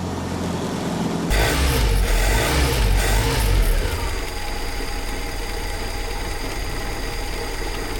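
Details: 1948 Willys CJ-2A after fitting a true 5/8" D&D BX40 belt, replacing an undersized slipping belt, now charging at 14 volts: engine catches and settles to a steady idle of about four beats a second, no belt squeal; normal idle.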